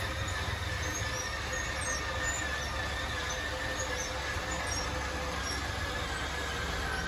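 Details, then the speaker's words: 2013 Crossroads Sunset 29SS travel trailer slide-out operated from the interior switch: steady electric motor whine at one pitch as the room extends, motors wind out and cut out when fully extended; normal operation. "so there you go. You heard those motors wind out and cut out. That means that it is fully extended."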